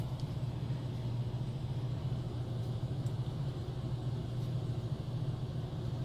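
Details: Air handler (heating) heard running in the background while a water heater tank is drained: steady, even low hum with no knocks, rattles or scraping; normal running.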